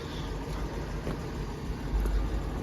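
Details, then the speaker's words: 1971 Ford F250 3/4-ton 2WD, sitting 22 years, on its first drive with little fuel: a low, soft, even rumble with no knocks or misses as it idles steadily. Normal idle. "I'm a little nervous to take it very far cuz I only have a tiny bit of gas but listen to it just sitting there purring"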